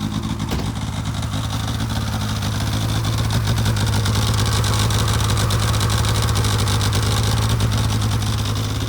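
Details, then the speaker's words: 2006 Polaris 700 IQ Classic snowmobile recorded outside after the battery was charged, having sat a few weeks: steady, even two-stroke idle with a brisk, ragged putter and no knocks or misses. Running normally while the stator charges the battery. "There it goes. So I got it all running now. As you can probably hear it outside."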